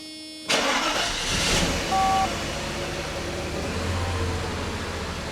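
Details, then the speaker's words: Mercedes 500E after new fuel pumps, fuel filter and fuel pressure accumulator plus a transmission fluid service. A short crank, then the engine catches at once and settles into a steady even idle, a clean healthy start. "Car fires right up now."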